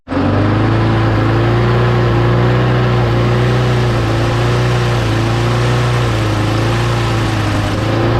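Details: Mower engine after parts were blown out with compressed air and refitted, primed three times: steady even drone, no misses, surging or knocks; runs fine, though owner says the primer still isn't priming.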